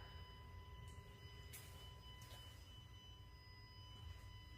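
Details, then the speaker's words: New Tesla Model X Plaid parked in a garage gives a steady high buzz, on or off, charging or not, overnight, maybe slightly passenger side; disabling Sentry Mode made the buzzing stop. "so the buzzing sound just doesn't stop doesn't matter whether the car is on off whether it's charging or or not and even I just left it overnight it's always on right"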